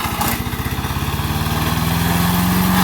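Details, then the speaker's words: MTD 5 HP chipper/shredder, probably 1990s, after carburetor kit repair, chipping branches: single-cylinder engine fires steadily around eleven pulses a second, pulling evenly and picking up slightly under load; sounds healthy. "yeah it's definitely slow going but it's a workhorse not bad for 60 bucks total put into it"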